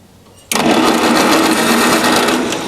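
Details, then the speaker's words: Tune-up on the gasoline pony (starting) motor of a John Deere two-cylinder diesel tractor, in neutral with a spark analyzer fitted: the starter spins the small engine with a steady, even buzz, the spark light shows spark, and cranking is normal. "so with the tractor in neutral we'll go ahead and press the starter button and see the spark"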